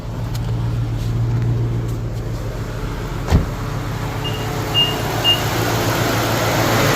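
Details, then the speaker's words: Infiniti M45 VK45DE at idle with a new but factory-loose serpentine belt: a steady hum with a few short high chirps near the end. The slack belt lets the tensioner hit its stop, which sounds like a pulley noise. "the tensioner starts to hit right there so where that Line's at it starts to hit it and it makes noise and it sounds like it's the pulley but it's actually the tensioner making noise"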